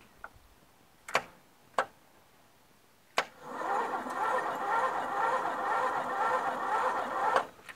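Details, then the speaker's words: Toro Wheel Horse lawn tractor with a Briggs flathead, new battery, mouse nest in the engine: a few clicks, then about four seconds of slow, even starter cranking; switch, solenoid and starter work, but cranking is slow. "okay so you guys saw that right the ignition switch works solenoid works because it gets power from the battery to the well I don't know I it seems like it it's really slow you know what I mean the cranking is slow"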